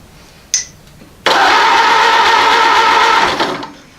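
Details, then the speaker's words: Ford AA Doodlebug tractor project engine: steady even cranking churn for about two seconds, never firing. Test light shows the points are not making and breaking, so there is no spark. "so I'm gonna stick the test light in here and it should want to make and break the point seer foot which it doesn't appear to be doing"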